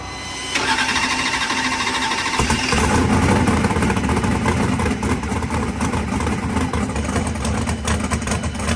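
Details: Freshly assembled race engine, first fire-up after filling with oil: the starter whirs briefly, then the V8 barks to life and settles into a strong, steady idle with no misses. Running right.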